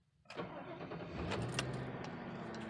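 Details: 2002 Ford Crown Victoria P71 after replacing the fuel filter with a K&N unit and priming the pump: a brief crank, then it catches at once into a smooth, even idle. It starts normally.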